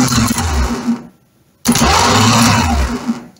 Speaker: working properly appendix is thrusting forwards and then the actual motor is turning so we know we have a working starter motor which is great